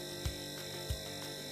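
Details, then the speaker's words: Fridge compressor wired directly to mains, drawing about 0.4–0.5 A, vibrating slightly when touched: steady low hum with a soft thump about every two-thirds of a second, no rattle or strain; normal running. "Kalau dipegang rada getar sedikit ya, getar dan mendengur gitu ya. Kalau dengung enggak getar berarti dia macet."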